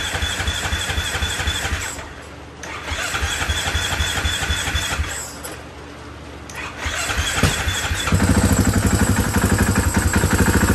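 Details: 2016 KTM 500 EXC single-cylinder after installing a Quantum HFP-A488 fuel pump in an Acerbis 4.1-gallon tank, pump tested at about 55 psi: cranks, catches, settles into a crisp even beat and revs cleanly; healthy start.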